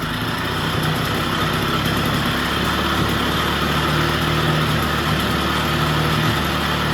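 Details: Vintage Jacobsen two-stroke greens reel mower, just revived with oil in cylinder and extra oil in fuel, old spark plug: steady even two-stroke buzz off choke, no misses or surging; normal running, governor still unsorted.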